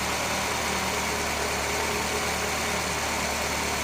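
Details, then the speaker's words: Nissan Altima, push-button start, after repairing a wiring insulation fault causing alternator overcharge; smooth steady idle hum, no knocks, misses or squeals, no battery light; normal idle. "okay car is started and running and we do not have a battery light that's good"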